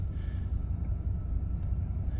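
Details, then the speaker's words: 1995 Chevy K1500 5.7 TBI, in park at idle, new battery: low uneven rumble with faint throb as RPM hunts up and down (roughly 900 to 500), slight shake; intermittent, happens cold or after driving, stops in drive; cause unknown. "had it there he go doing that little wall sort of like that but it's usually worse see the RPM's going up and down a little bit bit it's"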